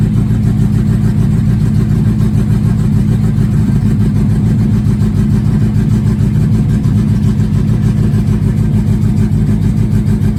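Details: 1969 Mini Cooper S 1275 with Pertronix ignition, cold after sitting a couple months, on choke: smooth, even low rumble at raised idle, no misfires or ticks, revs still coming down, probably set a little high; fast idle on choke.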